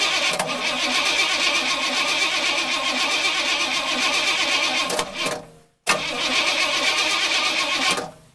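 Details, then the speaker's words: Engine with no gas cranked by a portable jump starter: two long cranking runs at about four beats a second, spinning briskly but never firing. Crank, no start, out of fuel. "Wow, that's pretty impressive that it was actually able to crank this engine over. If there had been gas in here, it probably would have started."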